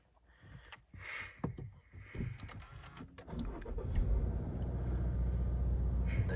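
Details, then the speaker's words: Subaru engine cold start: after some clicks, the engine fires with a deep, rhythmic knocking thump right as it starts. "knock. Just as soon as it started. Sounded like gungungungunung. Engine knock."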